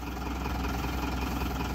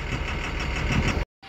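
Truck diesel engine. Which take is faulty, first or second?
second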